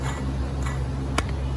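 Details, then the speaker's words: Removed Dodge Grand Caravan water pump turned by hand near the microphone: irregular dry ticks over a low hum from a failed bearing; pump also leaked from its weep hole, causing belt squeal and overheating; replaced. "Let me get it right by the microphone. Anyway, the bearing's gone in it, so let's go get a new water pump."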